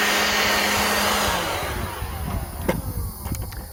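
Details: Black+Decker 20V cordless blower/sweeper on a new battery: a strong, steady high-pitched whoosh for over a second, then a smooth spin-down after the trigger is released; the blower runs normally.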